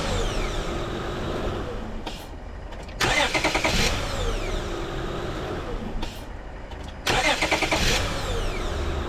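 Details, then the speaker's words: 2005 Honda Odyssey just after the starter was replaced; the old one only gave a click-click-click. Two short bursts of brisk cranking, each catching within about a second into a steady idle. Normal crank and start. "got him all right she runs that's great that's one uh one item off my list"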